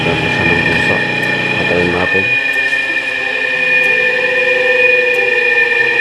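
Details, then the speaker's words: Hard-starting electric motor after repair (gapped, pitted contact point cleaned, new capacitor installed): brief low rumble spinning up, then a steady, even high hum without stalling. Self-starts and runs properly. "Okay, ayun may capacitor na. Teka natin. Automatic na siya."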